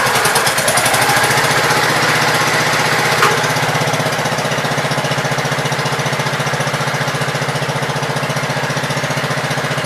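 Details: Gravely Pro 12 single-cylinder, choke on, just above idle: settles into even steady firing beat, no misses or knocks; deck not turning easily; healthy.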